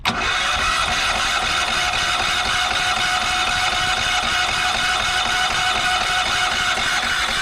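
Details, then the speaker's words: Yamaha EF4000DE generator on propane, after priming: fast, even cranking whir for seconds without catching; owner believes it flooded with too much propane because the choke was closed; cranking no-start. "Maybe that's why the guy got rid of it, is because it doesn't run. We have to figure out why it doesn't run now."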